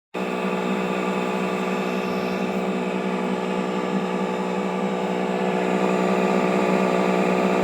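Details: TruHone HR8 honer motor: steady hum with light regular knock around four per second, like a worn bearing; owner suspects moisture entering through poorly sealing front cap seal caused internal corrosion.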